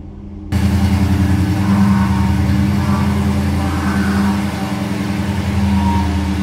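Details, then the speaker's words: 1964 Ford Galaxie 500 XL with its original engine reinstalled, rebuilt carburetor and fresh fuel, on the lift with quieter exhaust: cranks, catches in half a second, then settles into a steady, even V8 burble with no knocks or misses; normal start and healthy idle. "quiet sounds good to me now we got it nice and quiet we got it running on its own"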